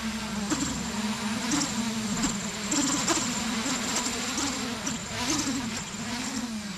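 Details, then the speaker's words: 8-inch FPV drone during in-field PID tuning, P gains set too high for roll, pitch and yaw: buzzing propeller drone whose pitch wobbles rapidly after a roll input; oscillation, P gains then turned back down to 65. "so that's oscillation that means we turn the p gains too high so we're going to do is adjust them back down"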